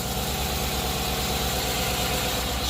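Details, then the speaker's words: Chevy 5.3 V8 after full AFM delete and cam bearing job, first start run bare with no belt or accessories: steady, even idle with a smooth lope, no knocks or ticks, good oil pressure, a little smoke burn-off. "okay H sounds pretty good to me considering there's no belt no accessories nothing"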